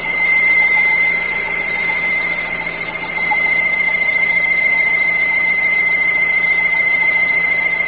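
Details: Chevrolet Cruze with a whistle under the hood on the highway: steady high whistle over a quiet idle, unchanged throughout, sounding like a slipping alternator or power-steering belt but actually a vacuum leak through a torn valve diaphragm.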